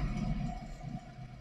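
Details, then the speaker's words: Audi A3 8P 2.0 TDI BMM diesel, 175 hp, over 300,000 km, raised on a lift with the rear right wheel spun by hand to coast: low steady hum with slow pulse, the rear right wheel bearing is worn, not the tyres. "entend bien ici le ronronnement donc un roulement à prévoir à l'arrière droit vous avez signalé un bruit anormal au niveau des pneumatiques ce n'est pas les pneumatiques mais le roulement arrière droit qui est défectueux"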